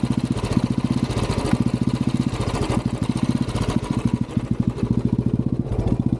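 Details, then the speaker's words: Royal Enfield Classic 350 BS6 riding: single-cylinder thump runs unevenly, beats dropping out and surging back, jerking and pulling by itself in gear, stalling and hard starting; misfire and surging traced to low battery voltage. "Sound क्या करू भाई इसका अब तो कुछ ज्यादा ही कर रही यार ये अगर मैं गिर डाल रहा भाई तो अपने आप खीच रही यार"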